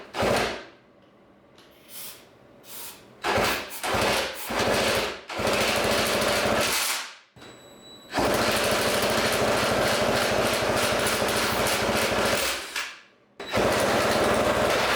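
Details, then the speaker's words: Yamaha PW80 two-stroke after unseizing a rusty, dirt-filled engine, no carb fitted, spun with a drill on starting fluid, FMF pipe: loud rapid crackling bursts in uneven runs with gaps, heavy smoke; engine fires. "Whoa. Smoke, smoke. Ah! It's working. There's smoke everywhere. You know how loud that was? That scared me so bad."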